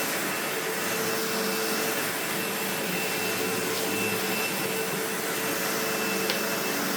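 Steady airy motor rush at constant pitch with a faint even whine, no rattle or grinding; vacuum running healthy.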